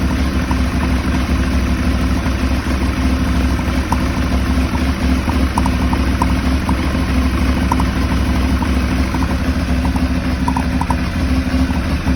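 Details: Aprilia Shiver 750 V-twin, throttle body suspected: steady low idle with slightly uneven, lumpy beat and faint ticking; idles rough but keeps running, cause unconfirmed.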